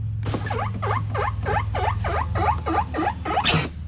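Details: Car power window: rising and falling chirps about three times a second while the glass travels, a squeak from the window mechanism.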